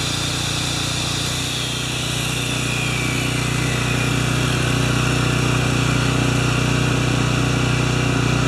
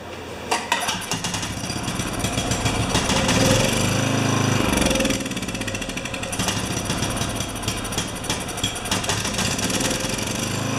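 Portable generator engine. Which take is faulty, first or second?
second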